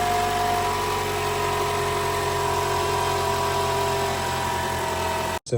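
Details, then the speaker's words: 2012 Toyota Camry 2.5 L 2AR-FE, cold morning start: harsh, busy rattle over idle from the VVT-i intake cam gear; fix is replacing the spring inside the intake cam gear. "Today we will be replacing the spring inside the VVTi intake gear right here which in the morning we demonstrate when it's cold when you start up you'll hear a loud rattle."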